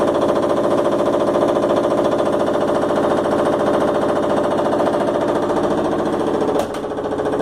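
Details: Washing machine making fast, steady hammering, about three and a half bangs a second, loud and metallic through the whole run; something inside knocking hard, cause unclear.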